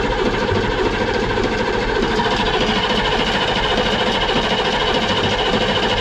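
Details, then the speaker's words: M1114 Humvee diesel bought at auction, first start attempt with newly fitted ignition switch, glow plug light working, tank suspected of holding jet fuel: rough mechanical churning near 100 pulses a minute, no oil pressure, turns over without firing. "Haven seen any oil pressure yet um have to check out the fuel lines and stuff like that"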